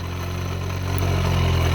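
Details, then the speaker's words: John Deere Model A tractor generator on the bench, motored from a battery with field shorted to chassis: steady low hum that rises smoothly in speed when the field clamp is removed; armature and internal field circuitry good. "Okay, we're spinning along steady here. Now, if I remove this, you hear the motor speed up."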